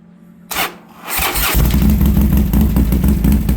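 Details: Harley Sportster first fire-up after fitting new aftermarket exhaust: quick crank, then V-twin fires and holds a loud, lumpy low beat of about four pulses a second; normal start and revving, running strong.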